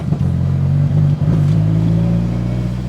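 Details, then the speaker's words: Mitsubishi Lancer Evo 8 engine: loud rising note under throttle with brief dropouts, a stumble under acceleration; new cam sensor fitted without curing it, owner suspects a faulty crank sensor, unconfirmed, log sent for review. "I'm suspecting it's a faulty crank sensor that's not really something to just guess on"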